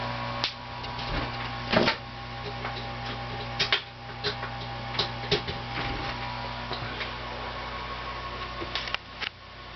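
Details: GE NOS 6JE6C tubes glowing blue with irregular sharp ticks about every second over a low steady hum while running; tube ticking, cause unclear.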